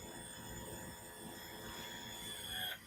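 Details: Outboard tilt-trim unit after refilling with Dexron III automatic transmission fluid, which previously ran without moving: even electric whine with thin high pitch, steady while raising, then drops off; now raises and lowers normally.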